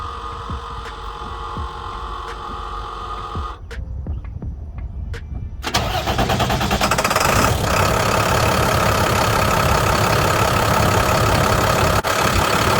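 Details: 2006 International DT466 diesel after belt tensioner replacement and bypassing a broken idler pulley, belt kept off the compressor: a few clicks, then it cranks, catches and settles into a steady, even idle with no belt squeal or chirp; normal start.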